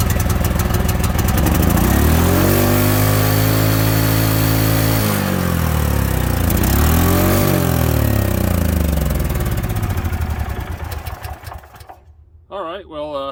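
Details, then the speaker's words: International Harvester 4130 skid steer, brand-new engine, carb choke half on, first start: it fires and races to a high steady howl with no throttle input, surges, then dies; throttle stuck wide open from damage. "that was strange it pretty much just took off if you noticed I haven't pulled the throttle down and it went full bore"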